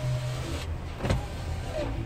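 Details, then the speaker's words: 2004 Mercury Sable wagon, right front window: short, smooth electric motor hum as the glass travels, no grinding, clicking or strain; normal power window operation. "So I want to show you that the window operation. So this left front, left front, that one goes up and down."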